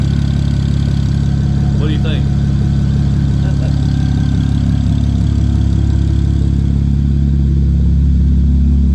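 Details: 2007 BMW 335xi project car running just after the cooling system was bled, with no exhaust fitted: a loud, deep, open idle with a steady even beat and no misses or knocks. The engine runs sound.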